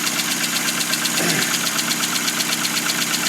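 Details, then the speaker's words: 2000 Hyundai Accent small four-cylinder idling cold just after clutch, flywheel and transmission install, not run in a long time: light even sewing-machine clatter with steady rhythm; needs warming up, normal idle. "By golly, this thing is working. It sounds like a sewing machine because it's not been running in forever. So, it needs to warm up a little bit."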